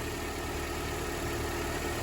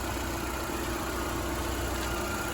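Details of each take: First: Car idling right after starting off a dead battery charged with a makeshift $20-30 setup, while the battery charges. Steady, even idle with a smooth low drone and no misses or knocks; running normally. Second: Nissan car running after being started on a makeshift battery charging setup, battery repeatedly dying: steady low idle drone with no knocks, idle sagging slightly for unclear reasons; gas smell noticed.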